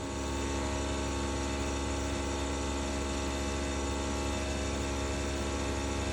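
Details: Bosch BOVB-36HDN1-M20G heat pump outdoor unit under a year old, recently noisy: steady low hum with rough gritty grinding that comes and goes and changes pattern; owner unsure if normal.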